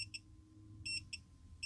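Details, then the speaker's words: Dead Milwaukee M12 C12DD drill (LED works, motor won't turn), multimeter continuity test on the board's MOSFETs: short high beeps on every pin pair probed, meaning all pins are connected. A shorted MOSFET. "Now, when I'm continuity mode with these MOSFETs, what I can see is that this one seems okay, and that one not okay."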